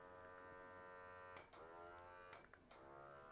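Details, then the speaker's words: Pixel Pump PCB pick-and-place vacuum pump: steady buzzing hum at an even pitch, dipping briefly twice as the power mode is switched between low and high. Normal operation. "and by the way I'm on on low mode right now which is the low power setting let's put it in high mode Let's make it while it's running so you can hear it"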